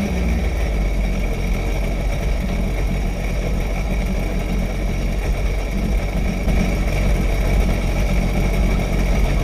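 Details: Sea-Doo jet ski dewinterized after winter storage, running on the flushing hose: steady low rumble with an even beat, no knocks or rattles; sounds healthy.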